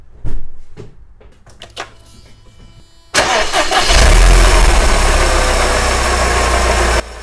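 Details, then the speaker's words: Mercedes M111 engine that rattled on startup after sitting over ~5 days (suspected hydraulic lifter oil starvation), cold start after weeks parked on Liqui Moly oil with MoS2: cranking, firm catch, steady loud idle, no tapping or rattle; lifters quiet. "No way! It actually worked! I cannot say if it is due to viscosity, or due to the molybdenum additive, or maybe combination of both, but I'm happy with the result either way and we probably use this oil again."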